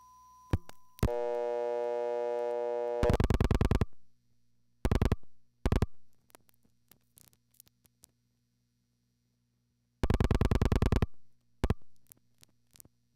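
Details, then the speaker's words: Crossbar call forced through the panel switch with MF trunks busied: steady tone, then stop-start bursts of relay clicking; a sticky relay in the originating sender broke revertive pulse counting, signaling went to telltale and the sender recognized failure. "the signaling went to telltale and the crossbar sender recognized this as a failure"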